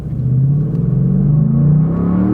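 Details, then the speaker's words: Ford F-150 V8 pickup under hard acceleration at high speed: deep, smooth engine roar climbing steadily in pitch with no stumble, and crisp, unmissed transmission shifts; normal, healthy V8 acceleration. "And you notice when we're going super fast, guess what? It isn't missing the shifts. They are extremely crisp, very crisp shifts."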